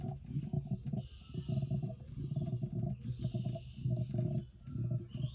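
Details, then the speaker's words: Mercedes ML350 W164 coolant flush and refill: after draining, radiator flush and demineralized water added to the reservoir; irregular low bubbling glugs as trapped air burps out, topped up until burping stops; air in cooling system. "now straight away you can actually hear that gurgling as the Air's coming out"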